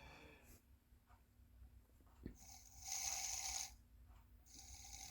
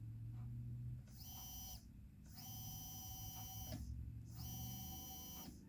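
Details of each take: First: Small electric motor at its slowest speed, buzzing in uneven surges and running jerky and twitching instead of smooth, stopping if pushed slower. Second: Hobbywing Fusion SE brushless RC motor, microphone beside it: short runs of clean, steady high whine starting and stopping evenly, no grinding or rattle; runs smoothly and quietly compared with a worn brushed setup.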